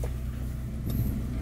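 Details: Honda Jazz GD3 automatic, pre-purchase check: steady low idle rumble holds with no clunk or rpm drop as the selector is moved through gears; transmission and mounts engage cleanly.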